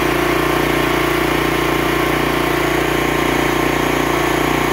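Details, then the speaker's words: Gas pressure-washer engine, locked up after rolling over with fluid in the cylinder, now running after the plug was pulled and cleaned: steady fast even single-cylinder beat with no knock or misfire. Some smoke right after restart is normal. "the smoking is is going to be normal it's nothing abnormal about that but uh I'll see you in a few minutes"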